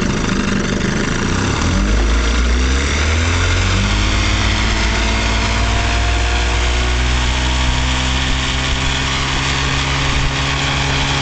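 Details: Vintage 1956 Johnson Javelin 30HP RJE-18 electric-start outboard on a 1965 Viking 14T runabout. Loud, steady two-stroke burble settles into an even idle with no misses or knocking; running normally.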